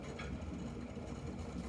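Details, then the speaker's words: Ideal Classic boiler firing up: low, uneven rumble with a bubbling texture, an unusual noise owner has never heard before; owner suspects something else is broken, cause unclear. "f2 he's making like a bubbling noise time to re-fire i think something else is broken now to be quite honest with you"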